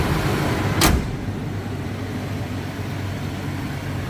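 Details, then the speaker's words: 1994 Toyota Land Cruiser FZJ80, 177,379 miles, just started; even, steady idle with no knocks or misses, a door thump early on; normal idle. "I can be standing outside crank it I like that sounds great smooth smooth"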